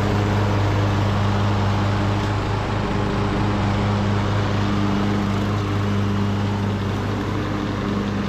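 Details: Craftsman LT2000 riding mower, almost 20 years old, after new carburetor and deck spindles: steady even single-cylinder drone under mowing load, no knocks or misses; running healthy.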